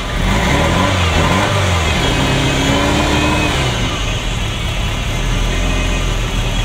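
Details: Ferrari Mondial V8 revving after plugs were cleaned and refitted; rough, uneven beat stumbling as revs rise; B bank, nearest the firewall, jumping around and misfiring.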